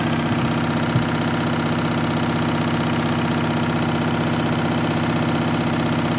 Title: Washing Machine noisy spin cycle